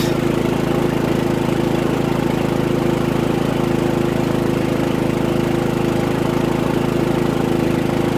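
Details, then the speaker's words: Harbor Freight Predator 3500 W generator, about 25 hours, new oil and NGK VPR7ES plug, powering a fifth wheel's 15K AC, six LED lights and a TV at 15 A, 1800 W, 121 V: steady, even drone at one pitch, no hunting, misses or knocks; healthy. "now we have one TV on half a dozen lights in the AC and we're at 15 amps 1800 watts"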